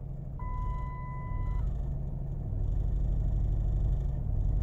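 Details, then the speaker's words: 2006 Dodge Magnum with months of stalling, after a 14-minute freeway drive, ESP light on, idling around 1500 rpm: low uneven lumpy idle, no response to throttle, rough running; owner suspects cam sensor, throttle body, coils, PCM or TCM, unconfirmed. "it sounds like crap there's running edges you can see about 1500 rpm"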